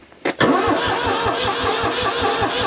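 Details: New Holland L783 skid steer diesel, bought at auction as hard to start, after cleaning battery terminals: starter spins at a brisk even beat of about six pulses a second but never fires; crank, no start.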